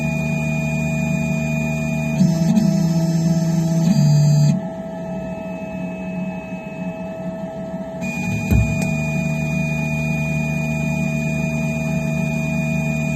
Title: Phrozen Sonic Mini 4k - Loud popping sound